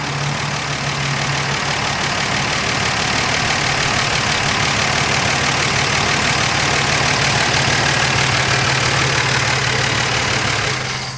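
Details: Dodge Dart Swinger (A-body Mopar survivor) with 225 Slant Six and single-barrel Holley, just revived after sitting: steady low constant drone at idle, no knocks or misses; pulling clean gas from tank, fuel line good, motor sounds great.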